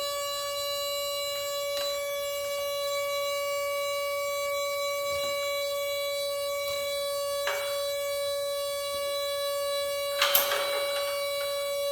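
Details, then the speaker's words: RV winterized with compressed air: plugging in the solenoid valve while the air compressor is connected gives a loud steady horn-like honk, the valve held open by excess air pressure; lowering the pressure stopped it. "So what was making the noise was the air pressure is keeping the valve open. So I lowered the air pressure and it went away."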